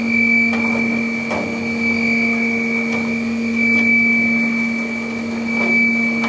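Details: Flex CNC mill chip auger carrying away drilling chips after Tungaloy DrillMeister drilling 2" UNC holes in plate steel: steady hum, clear high tone, soft periodic chip clatter; running normally.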